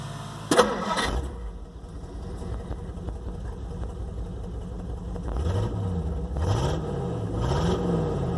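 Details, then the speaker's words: 1958 Plymouth V8 after new spark plugs replaced 40-plus-year-old plugs (one heavily carboned) for a suspected misfire: short crank, clean catch, steady idle with gentle rev swells, much better; normal start and idle. "I would say that is much better."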